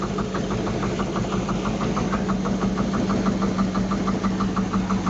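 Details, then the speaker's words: Luhrs 28 boat 350 V8: sharp steady tapping about three times a second over smooth idle, loudest at number six cylinder valve; #6 has zero compression, knock remained after Marvel Mystery Oil; owner suspects a dropped valve. "uh you know just they probably threw a valve but it's running smooth but just knocking"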